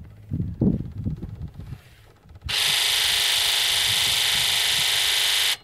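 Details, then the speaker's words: Ford 7.3L Powerstroke diesel, engine off, injector buzz self-test run from a Launch X431 scan tool: a few dull knocks, then a steady hissing buzz for about three seconds as the injectors fire; number two injector is really weak, sticking. "one's really bad number two is is that one was really weak we'll run it again"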